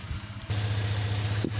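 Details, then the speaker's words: 2008 Jeep Grand Cherokee Laredo V6 after a no-start, traced to the yellow starter connector not fully attached and reconnected: engine catches after a brief crank and settles into a steady, even low idle without misses or knocking. "but the problem was the starter um it wasn't fully connected you could see the little black for the yellow cable the yellow cable was a connector one it connects to a little rod that was the problem I just connected it back and it st"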